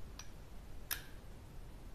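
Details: NOEBY JG2500 slow jigging reel in a quiet room: two sharp, isolated clicks as the clutch snaps back when the spool is re-engaged by turning the handle. Owner blames poor internal build quality and fitment.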